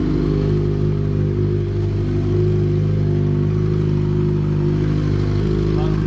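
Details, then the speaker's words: Yamaha XJ6 motorcycle, engine suddenly started making a strange noise; steady idle with a light, uneven knock over the low engine note roughly every couple of seconds; owner unsure if normal for the XJ6, cause unconfirmed. "só para falar para vocês que que o motor da motoca tá fazendo um barulho meio esquisito"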